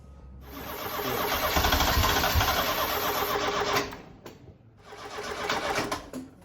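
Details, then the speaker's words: Ford Fiesta RS Turbo garage find stored 17 years, fuel gauge reading empty; steady starter churning about three turns a second, never firing; crank no start from fuel starvation, fuel pump dead. "The fuel pump's definitely dead, isn't it? Right, let's get on the hunt for a fuel pump then."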